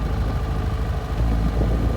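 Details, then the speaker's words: 2007 Yamaha FZ6 four-cylinder idling unevenly with low thumping pulses that stumble now and then; the intermittent misfire occurs only at idle and never stalls it, and wiring checks plus iridium plugs gapped to 0.022" have not cured it. "the blessing is really that it only happens at idle and it never stalls the bike"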